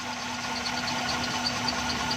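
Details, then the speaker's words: XLI 1.3 running on CNG during gas kit mixture screw adjustment: busy idle with faint uneven patter over a low hum, not yet fully smooth; mixture is tightened then loosened until the engine smooths. "हल्का हल्का टाइट करने के बाद इसको हल्का हल्का जिधर आपका इंजन स्मूथ हो जाए उसके बाद आपने इसको छोड़ देना है।"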